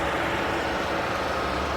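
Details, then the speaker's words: Hyundai Sonata with a blank gear display, stuck in park, scan tool finding no modules: the radiator fan runs at a steady, even whoosh with a faint hum on a cold engine, indicating a network communication loss. "now usually when you see a radiator fan that remains on all the time even when the engine is cold is an indication of a no communication problem"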